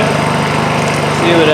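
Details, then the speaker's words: Honda EU2000i inverter generator, after replacing a completely plugged muffler that had stopped it running: small engine hums steadily, then throttles up slightly under a drill load and holds a smooth, even note; now running normally. "uh generates as you can hear it pick up uh throttle up a little bit under the load of the drill not bad that's that's not bad at [Music] all"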